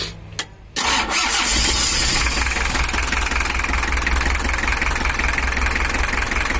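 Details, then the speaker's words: Toyota Hiace diesel 2L (LH11) after injection tuning: short crank, fires, holds steady fairly even clattery idle, better than before, no stalling or hunting; normal start and idle. "Nah ini ya lur, udah suaranya udah mendingan daripada tadi. Suaranya udah agak mantap,"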